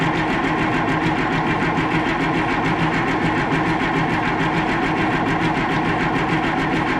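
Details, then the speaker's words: Oliver 1800 tractor not run for about two years, with a fresh battery and air found in the fuel filter and system: steady starter churn, even compression pulses about one a second, never fires. Crank no-start; air in fuel suspected. "of course I did get air out of the filter let's give that a breather for a second I did get air out of there when I cracked that open so there was definitely air in the system"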